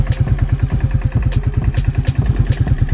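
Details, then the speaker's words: 2003 Bombardier (Can-Am) Quest 500 ATV, already warmed up, at idle: steady, even low thumping with a clean regular beat, idling a little low but smooth and healthy; hard cold starts and gear-shifting problems elsewhere. "as you can tell idle's good sound pretty good and everything idle a little low rate this second"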